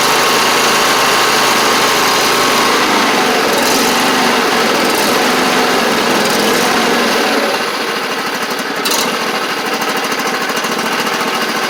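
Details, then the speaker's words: John Deere LA130 with Briggs V-twin, about 654 hours, after cylinder head swap for a bad valve guide that caused one-cylinder running: even, steady buzz while still warming, both cylinders firing, no missing beats; normal. "still warming up but you can hear it sounds pretty good running on both cylinders now too which is good"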